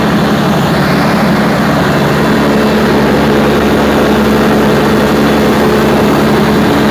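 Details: Perkins 4012 diesel after general overhaul, pre-lubricated before start, during load testing; pulling steady under load, deep even drone with no knocks, misses or rattles throughout, sounds healthy.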